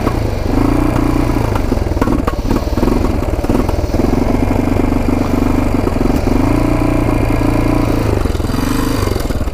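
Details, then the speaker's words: Roughly 1980 Yamaha XT500 single, sat over 20 years, on reserve fuel on a test ride: the thump rises, then sags and sputters. It won't rev out; owner suspects the airbox restricts air, unconfirmed. "so i think we gotta take off the air box so i'm thinking the air box is restricting it so let's take off the air box sounds like it is at least sounds like it's not getting enough air"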